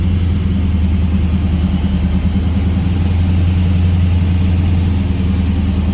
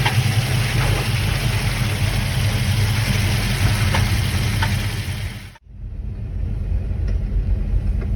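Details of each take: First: 1979 Camaro Z28 with a McLeod Super Street Pro clutch, whose random noises with the pedal pressed were traced to a greased pilot bearing: steady, even low idle hum with no chirp, squeal or rattle; normal idle. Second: 1979 Camaro Z28 with a McLeod Super Street Pro clutch installed in 2017, idling; faint, irregular squeaks and ticks from the clutch area only while the pedal is pressed, traced to a greased pilot bearing.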